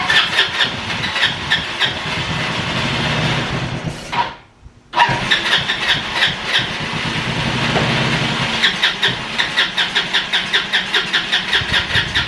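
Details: Free roadside-found ATV, carbureted: starter churns rhythmically, pauses, cranks more but never catches; owner suspects fuel not being pulled from the tank and the start button overheating with long cranking.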